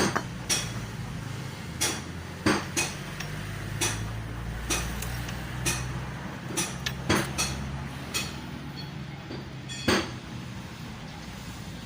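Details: Yamaha Mio scooter engine: sharp uneven metallic knocks over a low hum, piston slap from a worn piston rocking in its bore.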